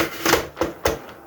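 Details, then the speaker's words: Sentro knitting machine, crank turned back under yarn tension after reaching the stop: several sharp, irregular plastic clacks from the needle mechanism, which is normal and nothing wrong. "görüyorsunuz ki nasıl olursa olsun makinenin hareket etmesi önemli değil Eğer öyle bir ses geliyorsa Bu artık normal"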